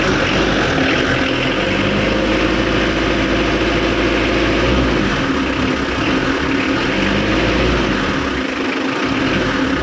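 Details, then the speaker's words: Diesel car being revved during an engine health check, with no exhaust smoke even when revved: clatter rises and falls smoothly as the throttle is blipped, with no knocking or misfire; the engine is judged still normal. "Ya, jadi masih normal teman-teman, seperti itu ya."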